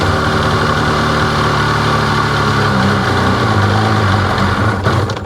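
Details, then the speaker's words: 2005 Sea-Doo 3D 787 RFI that had sunk idles rough and uneven about five seconds, then sags and stalls; MAP sensor reads 3, runs fine with sensor disconnected, cause of stalling at idle still a mystery. "Stalls out. What in the heck is causing that to drop down to 3 without doing anything? Nothing I wiggle, nothing I change."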